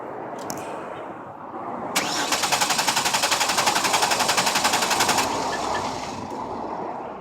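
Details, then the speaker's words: 1999 Chevrolet Venture 3.4 V6 van, 222,000 miles, died at a traffic light: steady rapid starter cranking about four beats a second, never catches; fuel pressure gauge shows no pressure, failed fuel pump, replacement bought at a wrecking yard. "well that's not a lot of pressure didn't even move let's double check we have everything set up right it's tight one more time I think we're going to have a fuel pump issue"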